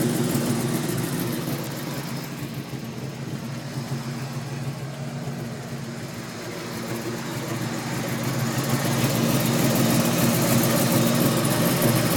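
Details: 2003 Mustang Cobra V8 at idle: fast, even light tick about three per second riding over the idle; weird ticking, cause not yet identified.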